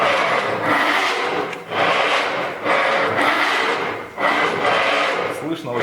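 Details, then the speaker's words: Audi A4 B8 2012 electric steering rack, removed from car: gritty rasping grind swelling each stroke as rack is worked; water entered via torn right-side boot into the edge bearing, red steering warning with assist still working. "Как обычно, попала вода, зашумела рейка и на панели выскочил красный руль, ошибка, но при этом усиление есть. Ошибка по механической неисправности. Рейка снята с машины, издает вот такой звук."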